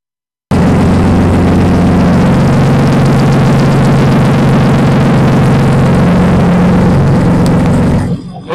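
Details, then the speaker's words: BMW 318i engine swap, first start with no exhaust fitted after swapping fuel lines: deep, raw, very loud steady roar with harsh crackle, revs jumping up unexpectedly; loud running with no exhaust fitted. "It is extremely loud because it does not have any exhaust on it just yet."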